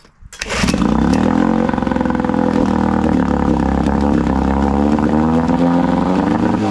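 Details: Outboard on a cheap aluminum flip boat, carb float and overflow checked fine: fires and settles into steady buzz with brief stumbles and jerks, a lean sneeze; too lean, to be dialed in with low speed adjustment screw.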